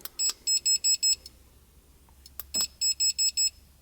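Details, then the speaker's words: 2017 BMW M6 F13, GT Haus exhaust valve remote controller wired to fused terminal 15 power, ignition on, engine off; repeating groups of sharp high chirps like a camera flash charging; controller works but chirps. "okay so it works technically it's the best kind of works right but the problem is it sounds like a camera flash uh charging"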